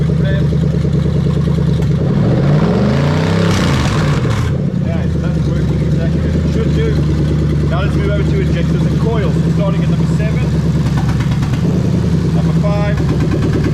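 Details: 1998-2000 Lexus LS400 1UZ-FE VVT-i V8 on a standalone harness, warmed up, injectors unplugged one by one: smooth run with a quick rev and brief stumbles as each cylinder is cut; every cylinder is firing.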